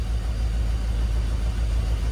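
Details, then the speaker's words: 1997 Ford F-250 with 460 gasoline V8, just started; deep low idle rumble that wavers and lopes; running a little rough. "Running a little rough, but it's running."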